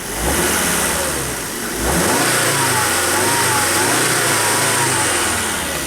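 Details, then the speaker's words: Volvo V70 wagon after a 400-mile trip, revved with a glove fitted to check crankcase pressure. The glove does not inflate. Smooth, even rev rising and settling with no knocks; the PCV oil separator is not clogged. Normal revving. "Just for kicks Let's uh rev it up make sure that glove doesn't explode"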